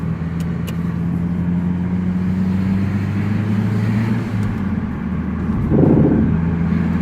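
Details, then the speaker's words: Stock 2009 Mazdaspeed3 on test drive after new spark plugs: engine drone climbs smoothly under acceleration with no pinging or rattle; no knock where it normally appears, running much smoother. "Still no knock. No knock. Definitely is running way smoother than it normally has. No knock at all."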